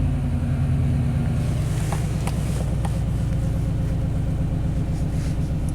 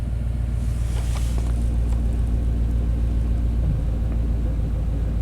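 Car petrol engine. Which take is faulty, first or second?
second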